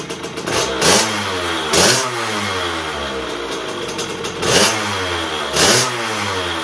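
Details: 2001 KTM 50SX two-stroke after carb upgrade, cold and not yet warmed up: burbles and sputters, blips clear then fall back to a wet blubbery idle; pilot circuit set about one and a half turns; running rich.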